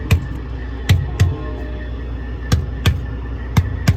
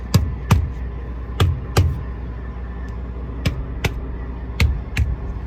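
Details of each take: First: Trailer tires struck with a gloved hand (thump test): eight solid, deep thumps with the same dull pitch and bounce. These tires are evenly and properly inflated; only one other tire is low, suspected nail. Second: Trailer tire struck with a gloved hand gives a dull, flat thud with no bounce, unlike the lighter sound of a good tire; the tire is badly underinflated and squishy.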